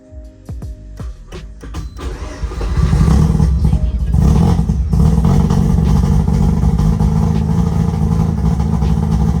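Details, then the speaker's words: Mazda RX-7 FC3S rotary with Haltech Elite ECU, no idle control, baffle fitted, cold start on a hot day: catches after a few cranking pulses into a loud, lumpy, choppy idle; cold-start fuelling too rich, needs coolant temperature correction tuning. "Hear how it's all choppy, sounds like a Bridgeport. Basically, I need to work on that."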